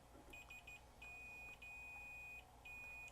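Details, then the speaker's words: 1999 Toshiba MV13J3 13-inch TV/VCR combo with no power, switch tested with a continuity meter: high beep cutting in and out in uneven bursts, reading jumping around; dirty, intermittent switch contact, to be cleaned with DeoxIT D5. "it's dancing all over the place maybe it just hasn't been used in a while they might just need a bit of exercise"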